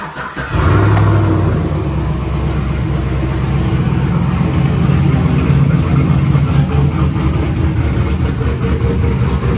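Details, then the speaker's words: 2008 Silverado V8 on a lift after the new manifolds and y-pipe/cat, with a little extra pipe piece bolted on and no muffler yet: fires quickly into a loud, deep, steady burble. The pipe swings and needs a hanger; healthy, just loud. "sounds good though so pretty happy with how this thing sounding borderline doesn't even need a muffler but I'm going to want to quiet it down a little bit"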